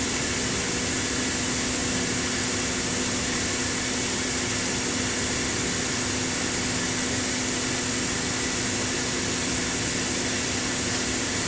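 Steady, even high whoosh with a constant low hum and no knocks or wobble: the dryer is spinning smoothly and healthy.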